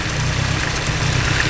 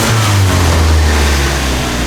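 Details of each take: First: Turbo petrol engine with an eBay turbo kit, idling: lumpy, slightly uneven idle with a pulsing low rumble; base timing was at 25 degrees instead of the 15 BTDC spec, and resetting it with a timing light smoothed the idle. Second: Four-cylinder with old eBay turbo kit, just after alternator replacement: pulls through a short rev and settles, low note clean and even with no stumble or miss; runs smoothly, 14.7 reading afterwards.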